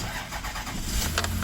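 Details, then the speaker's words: 2000 Toyota Sienna, 207,000 miles, freezing cold, after its completely dead battery is recovered: cranks briefly, catches cleanly and settles into a steady even idle; the alternator is questioned as the cause of the drain. "the engine starts perfectly up the battery was completely drained to nothing"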